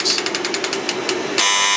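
A rapid string of short ticking pulses, then a loud steady high buzz for half a second; the alarm sounds properly.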